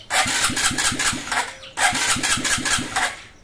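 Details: Honda XRM 125 fuel-injected motorcycle needing engine refresh: two cranking attempts with even rapid turnover, engine barely catches and fades each time instead of idling; hard starting, will not idle.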